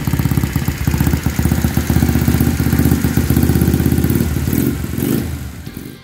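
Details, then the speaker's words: Rebuilt scrap mini ATV, single cylinder (new piston), long-stored, carburetor still needing replacement, after refitting the exhaust pipe: quick, even putter with soft, much quieter exhaust note winding down smoothly; normal running. "Katsotaanpa miten se välittää tuo pakoputki. Se vähän puoltaa, mutta on se paljon pienempi tuo ääni."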